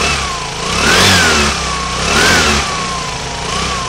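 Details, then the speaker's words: Aprilia Sportcity One 125 (2008–2015) scooter engine on stand, 13 kg compression: three smooth blips, revs climb and fall cleanly, steady idle, no knocking, rattling or hesitation, no white smoke. Healthy engine. "El ralentí le mantiene constante. No se aprecia ningún sonido extraño en el motor. La respuesta de las vueltas es muy buena."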